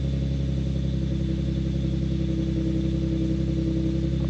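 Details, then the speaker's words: Infiniti G37 VQ37 V6, first start after replacing knock sensors and sub harness: even steady idle with no stumbles or knocks; smoothest start since the level two mods, normal idle. "awesome seems like it's running well it started up the smoothest has started up probably since before like the the level two"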